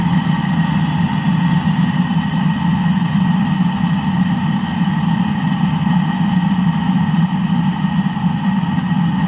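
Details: Land Rover engine after cylinder block repair: an even, steady low idle with a faint, quick, light ticking on top and no knocks or misses. The engine sounds healthy.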